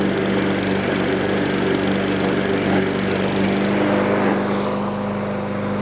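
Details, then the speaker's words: Discarded Toro walk-behind self-propelled mower after a service, a new spring and carburetor work: a steady drone with a slight rhythmic pulse that holds firm while cutting, no surging or missing; running healthy. "well there you have it another more saved for one simple little item this thing got discarded so we service it up put that spring in there"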